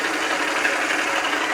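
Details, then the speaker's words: South Bend lathe nylon gear train lubricated by pumped recirculating 600-weight oil: smooth even hiss, no knocks or chatter; quieter with each pump, owner considering STP-like oil; normal running. "every time I pump it it makes it quieter maybe I need to try something like STP"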